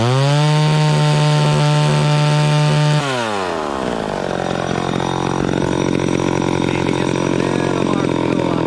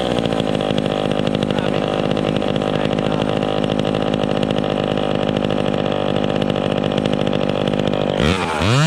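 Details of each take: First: Vintage chainsaw cutting wood after high-speed mixture richened slightly: crisp steady high revs off the wood, pitch drops cleanly into the cut and holds evenly; running properly under load. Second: Vintage chainsaw revving at no load during carburettor tuning: uneven burbling stutter instead of a clean scream; slightly rich, four-stroking, expected to clean up in the cut.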